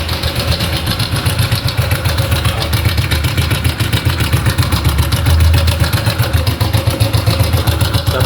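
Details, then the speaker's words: Honda Biz/Pop 100–110 motorcycle at idle: a loud, sharp ticking rattle, roughly four beats a second, from the cam chain slapping inside the engine. "esse barulho é da corrente comando tá"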